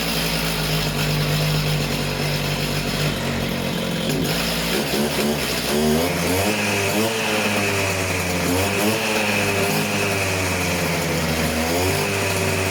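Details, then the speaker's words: Stihl disc cutter, newly acquired, two-stroke started cold on choke; buzzy engine picks up cleanly, rises and falls smoothly through several revs without stumbling, running fantastic; service with new air filter and plug still planned. "right and as you can see that's running fantastic actually"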